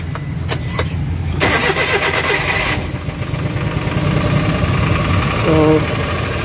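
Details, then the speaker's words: Suzuki Transformer with K6A fuel-injected engine, first start after throttle body cleaning and oil change, battery reconnected, clutch pressed: a short crank, a prompt catch, then a steady, even idle with no misses or knocks; the work is confirmed good. "So okay na. So gawin natin. Okay, so okay yung tira natin guys."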